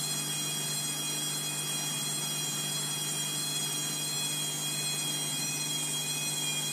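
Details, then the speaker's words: Bosch WFF2000 washer, Cottons 90 with prewash, intensive and cooldown, towel load, spinning. Steady high-pitched whine over drum hum at speed, loud and piercing; owner calls the motor whiny, cause unknown: loud motor whine during spin. "Not actually looking forward to the spin because of the whiny motor. I've already had complaints from my brother and sister that they hate how whiny it is, but still, it's not going anywhere soon."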